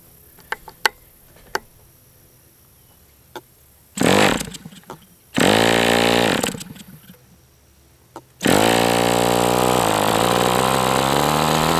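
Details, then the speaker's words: MDS 68 FS Pro four-stroke glow model engine on break-in run with 11x8 prop, warmed to operating temperature; snaps to life, steady high buzz with pitch shifts from needle tweaks; still sounds tight with high pinch, slightly rich, running pretty well. "It's pretty warm. I mean, it's running pretty well. It's still, you can hear that it's still really tight. It's got a really high pinch still, even though it's pretty darn warm."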